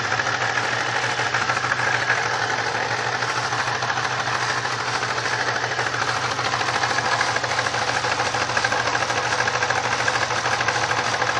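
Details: 1999 Pontiac Grand Prix SC 3.8 V6 idling with uneven, lumpy beat, about three stumbles a second; misfire attributed to bad ignition coil #1-4.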